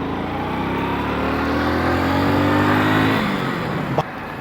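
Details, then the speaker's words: Motorcycle slowed from 40–50 to 20 km/h and shifted down two gears: engine pulls up smoothly, pitch rising steadily with no stumble or stall, unlike the stall when not downshifted. "भाई आपने कितनी अच्छी तरीके से bike उठी है और same चीज हमने इससे पहले ट्राई की जिसमें हमने अपने गियर को डाउन नहीं किया वहां पर आपने रिजल्ट दे का वहां पे बाइक हमारी बंद हो गई थी"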